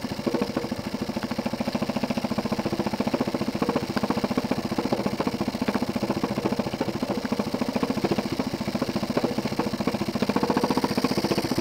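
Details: Jensen 20G steam engine, bought used, with a homemade rubber or silicone cylinder seal; steady, fairly even bumping about three and a half beats a second under the chuff, from a seal fragment loose in the cylinder. Fixed by remaking the seals properly.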